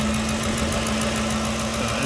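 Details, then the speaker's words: 2014 Ford Expedition 5.4 SOHC after freeing left-bank cam phaser oil control solenoid stuck in full retard (was misfiring cylinders 5–8): steady even idle, no stumbles, no misfires or pending codes; normal idle. "see motor's running very smooth there's no misfires no pending codes no nothing"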